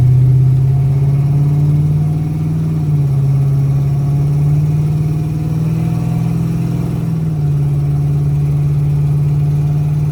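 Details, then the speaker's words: 1978 Chevrolet El Camino, 383 V8 with TH400, driving: deep V8 drone roughened by a raspy, puffing note from pinhole leaks at the exhaust header collector, which needs rewelding. "you can really hear those pin hole leaks at The Collector that's that noise you hear it's a pretty bad little exhaust leak I really need to get it rewelded"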